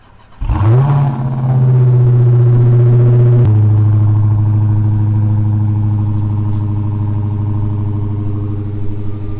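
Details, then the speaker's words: Crashed 2023 Dodge Charger SRT Hellcat Redeye Widebody King Daytona, 6.2L supercharged, 807hp, 5k miles, side-swipe salvage: quick crank, big flare to high revs, settles to deep even idle with no knocks; engine intact, runs flawlessly. "But the fact that the engine is fully intact and that it runs flawlessly, there's no engine damage whatsoever, is huge."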